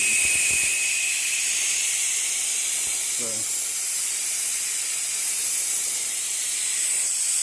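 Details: Used Craigslist air compressor, unplugged with no motor running: steady high airy hiss without a break; air escaping at the pressure switch, likely a gasket or ring, owner may replace the switch.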